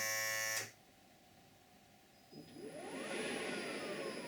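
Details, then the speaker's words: Freelander DIY EV conversion, vacuum pump switched on after torquing parts: after a quiet pause the pump cuts in with a smooth whine climbing in pitch, then runs steadily; normal vacuum pump operation, still working. "Turn it on. Get the pump cutting in."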